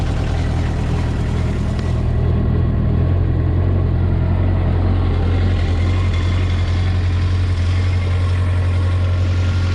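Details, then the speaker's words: Caterpillar 305 CR mini excavator diesel with 3,600 hours, auction purchase, cold start: fires and settles into a steady even low clatter at idle, no misses or knocks; a little smoke, not heavy; running normally. "A little bit of smoke on a cold start, but it's not like it's barreling smoke out of there."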